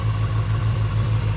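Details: Supercharged Dinan BMW E93 M3 on E85, after new spark plugs and valve cover gaskets, oil still on a plug: a steady idle thump with a faint, regular stumble. Slight misfire at idle; a compression test was planned.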